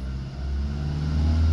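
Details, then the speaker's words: Diesel engine being checked for blow-by: warm engine snaps up cleanly and quickly on the throttle with no hesitation, so it is responsive with no blow-by. Normal free rev. "Nah di sini kan ini kita bisa lihat untuk naiknya itu kan mudah Ya gampang bahkan saya saya injakal gas seperti ini nah dia naiknya cepat itu berarti menandakan mesinnya responsif tidak ngobos"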